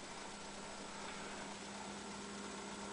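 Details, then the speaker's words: On a Polaroid TV after a power supply capacitor repair (before, it was slow to come on and squealed), now on in about 5 seconds: the display's backlight inverter gives a quiet, steady thin hum; normal operation. "right on. I can hear actually hear the inverter for the display."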